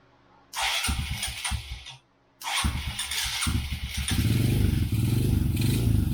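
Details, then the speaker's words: 2014 Honda CRF125FB single after cam timing corrected and valve lash reset, primed with gas and 2-stroke mix in carburetor: cranking bursts, short pause, then catches and settles into steady even thumping idle, slight smoke from premix; normal start and idle. "Sounds good. I know you guys are saying, hey bro, it's smoking."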